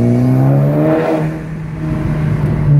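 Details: Audi R8 on road test after installing new coil packs and NGK Laser spark plugs (old plugs about 40,000 miles): smooth, even engine note building under acceleration with no misfire stumble or popping; pulls cleanly.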